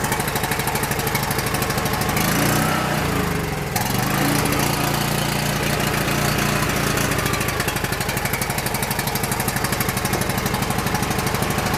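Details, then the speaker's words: Coleman PowerMate 6560 generator with rebuilt carburetor: uneven, hunting single-cylinder putter that keeps running only on full choke; lean air leak suspected at the carburetor gasket or throttle bushing. "Just like we suspected, something wrong with that gasket on the carburetor or bushing on the carburetor throttle."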